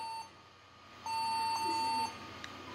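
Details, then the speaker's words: Acer Aspire 4738G laptop at power-on: short beep then a steady mid-pitched tone about a second; traced to a loosely seated keyboard, no beep after reseating and it booted. "what I can hear the beep uh-oh [Applause] that doesn't sound right it could be the keyboard freak down"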